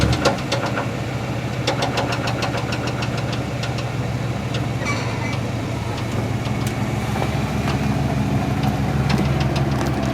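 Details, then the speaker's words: 1973 Chevrolet C10 with a 350 and 4-speed manual, 30 psi oil pressure; unplugging each spark plug wire did not change the sound. A rough idle with a sharp, irregular tick-knock over the rumble: the owner suspects a rod knock, unconfirmed. "I unplugged all of the spark plug wires one by one and the sound didn't change."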